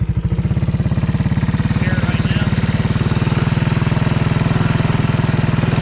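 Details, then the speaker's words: 1985 Honda ATC 200S with 165 original miles: even single-cylinder thump with a light tap at low rpm only, gone with more throttle. Runs well, no smoke; repeated timing adjustment didn't cure it; owner suspects the rocker. "now I give it more gas it like goes away so it's really odd um at first I thought it might have been the timing change but I mean after I adjusted that thing so many times it's like you know it it never want away so um I think it's coming from The Rocker"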